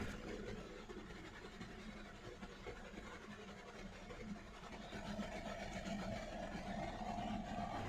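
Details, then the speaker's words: Hyundai Verna Fluidic 1.6 L petrol at idle, no fault codes: low uneven stumbling beat about four pulses a second; misfire counter shows severe misfire in cylinder three, check engine light blinking; also loses pickup and sometimes stalls while driving. "तो cylinder number तीन में misfire है।"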